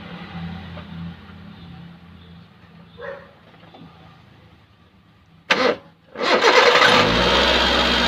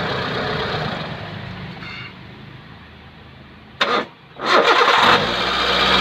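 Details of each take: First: Hyundai Santro that made a loud noise at start, after replacing the power steering pump bearing: short crank, catches cleanly and settles into a steady even idle with no squeal or rattle from belt-driven parts. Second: Hyundai Santro making a loud noise on start: harsh, loud whirring roar after the starter, settling into idle; worn power steering pump bearing.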